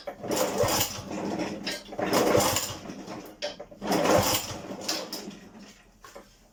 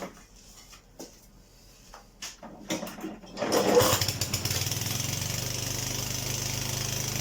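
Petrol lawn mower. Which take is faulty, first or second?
first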